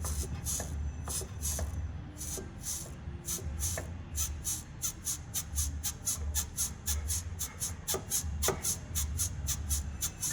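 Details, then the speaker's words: VW Gol-family suspension removed from the car, lower control arm rocked by hand; rhythmic rubbery creaks, about two a second, as the bushing turns inside its mount; worse under the car's weight. "certo Pessoal esse rugido aqui que ocorre e eu tô fazendo isso aqui com a mão apenas movimentando aqui a bandeja"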